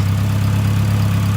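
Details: Newly fitted engine during its running-in phase, breathing lighter with no exhaust smoke. A deep, steady idle with a firm, even pulse and no ticks, knocks or misfires. Normal idle.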